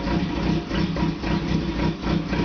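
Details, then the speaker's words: Opel with TH180 automatic, first start after failed vacuum modulator let engine ingest a gallon of transmission fluid; oil, filter, modulator replaced, vacuum lines cleaned: rough lumpy idle dipping every half second, like one cylinder missing; fluid expected to burn off warm. "changed out the oil and [Music] filter and she's running rough [Music] I don't know sounds like I'm missing on one cylinder"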